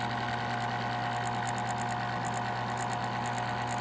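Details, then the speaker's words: Old Vornado fan with a stuck, stiff motor, first power-up: steady motor hum with an uneven ticking rattle, rough and labouring; dry motor bearings. "i'm gonna plug her in here your movement is in there you go well it's not particularly happy there we go"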